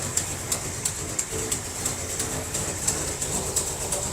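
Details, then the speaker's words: Barn-find 1957 Chevy wagon, big-block V8, running for the first time in about 20 years after a carburetor fix: steady, smooth idle with even light ticking over the exhaust. Fuel pump working, an exhaust leak is noted. Normal idle. "So it's idling pretty good. Fuel pump is working."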